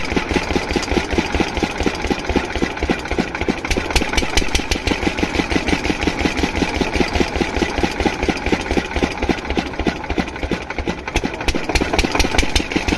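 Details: Single-cylinder diesel water-pump engine, after fixing the no-start caused by fuel not reaching the pump, fires cleanly with a steady, even thump at constant speed and no misses or knocks; running perfectly.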